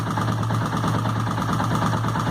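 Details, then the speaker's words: Small Suzuki motorcycle idling, heard through a screwdriver held to the top of the engine: a fine, even ticking. A valve or camshaft is probably the cause. "provavelmente esteja uma válvula um comando daqui de cima tá fazendo esse barulho"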